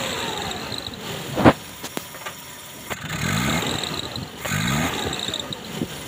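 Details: Suzuki Carry 1.5 Futura whose starter only clicked while the solenoid still moved. After the dirty starter armature was cleaned, a short crank catches and the engine settles into two even running bursts with no grinding or clicking. Normal start after repair.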